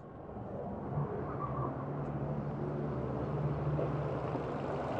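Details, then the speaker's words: Used Suzuki Ignis at idle with the A/C on: smooth, quiet idle under a steady whirr from the extra cooling fan, with no misses or ticks; engine stays smooth before and after A/C switch-on and the fan works properly. "Nah, ini dia. Jadi extra fan dan pendingin, extra fan pendinginnya berfungsi dengan baik."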